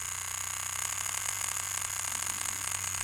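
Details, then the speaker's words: Cheap knockoff tattoo machine (Poseidon V7 compared with a Dan Kubin Sidewinder V3R) turned up a little above 5 volts: a high buzzing whir with an uneven flutter in pitch and loudness; it runs inconsistently and the setting is unusable. "yeah, here you can really see it's a cheap machine. It's not consistent at all. So definitely not use this setting."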